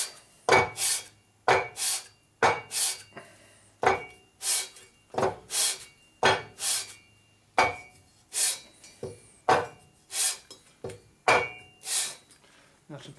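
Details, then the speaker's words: Hand-lapping a 2000/2004 Harley Sportster XL 1200 cylinder head deck on fresh 120-grit sandpaper: crisp, gritty, even rasping strokes about two per second, sounding like the new paper is cutting properly. "See if it sounds different. Yeah, sounds like it's cutting."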